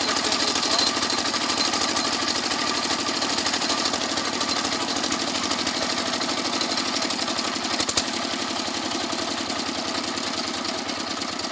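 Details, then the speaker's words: Kirloskar single-cylinder diesel that came in for excess fuel use and smoke, run after the injector nozzle was found good (fan impeller damaged): even thumping idle of about two and a half beats per second with no misses or knocks; engine runs clean. "दोस्तों हम इंजन को स्टार्ट कर रहे हैं, इसके बाद आपको दिखा दें कि इंजन में दोस्तों हमारी कोई समस्या नहीं।"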